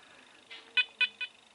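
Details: Apex metal detector returned to dealer for chatter and said fixed, multi-frequency, full sensitivity, relics mode, stock coil: three sharp high chirps over faint hiss, stopping and restarting; false signals (chatter).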